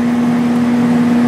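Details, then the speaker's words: 1995 Sharp Comfort Touch 8,500 BTU air conditioner, before cleaning: steady even low hum with smooth fan rush and no knocks or rattles; compressor running quietly, normal running. "hear there's the compressor doesn't sound bad at all"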